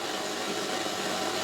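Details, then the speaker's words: Yamaha RX-E810 silver v2 receiver under repair, FM tuned near 99.9 with hand-held antenna: constant loud hiss with no clear programme; tuner not sensitive enough for the weak signal. "oh it's uh it's a nightmare this tuner is uh not so not so sensitive it needs more signal"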